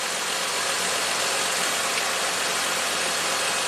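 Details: 2008 Saturn Vue V6 with a year of low-voltage complaints (battery and alternator already replaced) idling during voltage-drop tests: 80 mV ground, 170–200 mV at alternator post, 14.8 V charging. Smooth steady hiss and hum, no knocks, misses or squeals: normal idle.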